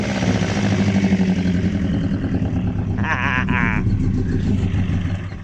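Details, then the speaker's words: Mk1 Ford Escort with rebuilt bottom end on carbs, cam retarded, vacuum leak and arcing plug lead, thermostat not yet open: lumpy loping idle with brief squeal, occasional popping; rough idle, no bottom-end rattle. "I mean, the carbs are making a racket, but she's a bit lumpy, but the cam is that far retarded or whatever."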